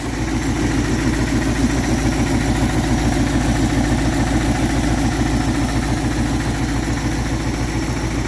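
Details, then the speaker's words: 1962 Dodge D200 with 318 poly V8 and 3-speed, off the road since about 2013, first run after oiling the cylinders: steady, even idle with a smooth low pulse, no knocks or misses, though it leaks oil. Normal idle. "oh yeah not so bad it doesn't even sound that bad listen to that well that's exciting she's a runner"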